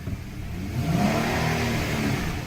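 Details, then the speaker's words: Car with an automatic transmission, check engine light on, revved in gear: engine rises smoothly but the car barely moves; a slipping transmission starving for fluid. "I just revved it up. Barely moved. Alright, guys. I'm in a safe spot now. Okay? Uh-oh. Y'all hear that? I'm in gear. That sucker is starving for fluid."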